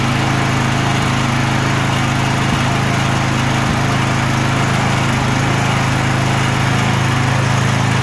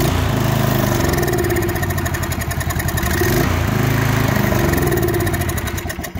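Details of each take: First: Murray 24-inch rear-engine riding mower with 190cc Briggs & Stratton engine, after carb clean and fuel tank and line flush to remove milky bad fuel: steady, even single-cylinder beat, no stumbling or surging; fixed, was a no-start. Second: Murray 24-inch rear-engine riding mower with a 190cc Briggs & Stratton engine: turns over but won't start, fires on starting fluid with fuel in the tank, single-cylinder thumping grows ragged and fades; dies after starting, fuel starvation suspected.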